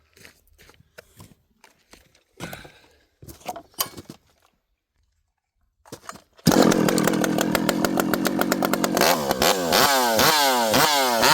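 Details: Rebuilt, ported vintage 064 chainsaw with new piston, clutch and replacement carburetor, 25-inch bar, cutting wood full throttle while leaned on hard; screams at high revs and holds speed without bogging, pulling hard and fast.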